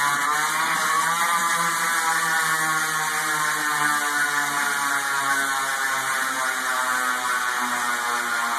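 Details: Motorized telescope stand: steady whirring drone with a rough, gritty edge and even tone, from a noisy bearing.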